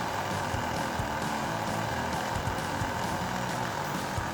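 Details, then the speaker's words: Older laptop running boot repair commands: constant loud roar with faint steady tone, no speed change; fan running flat out, owner fears overheating and plans to open it to inspect the fan, cause unconfirmed. "hopefully this works because I don't want this fan to be on that much longer I don't want this computer overheating or something"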